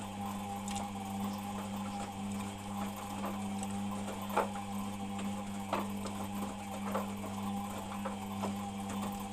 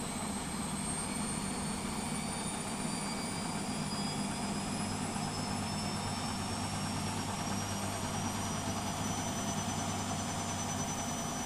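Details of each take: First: If you listen carefully there's a bit of a grinding noise when the washer is turning. But it doesn't seem to do it when it spins Second: Beko WMP 601 W 6kg 1000 rpm A+ washing machine spinning up: smooth even whir rising in pitch, no grinding or scraping; the grinding heard during wash tumbling is absent when it spins.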